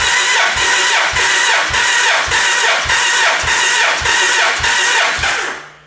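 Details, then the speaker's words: Gen 1 Suzuki Hayabusa after cam chain replacement, cranking during a compression test: strong, even cranking, about two evenly spaced compression strokes a second, steady starter whir, no stumbles; healthy compression. "But the fact that it's turning over so much harder is actually pretty encouraging."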